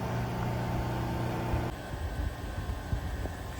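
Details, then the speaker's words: HVAC blower assembly motor, belt off, being checked during a low evap temp fault diagnosis before bearing replacement: steady, even hum for about two seconds with no knocking or rubbing, then winds down quietly; sounds smooth. "Um I don't know. Sounds smooth. Sounds great."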